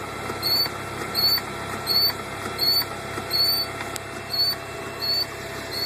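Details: 2000 Volvo V40 1.9T just after start: high chirpy squeak repeating steadily about every 0.7 seconds over the running engine, cause unknown.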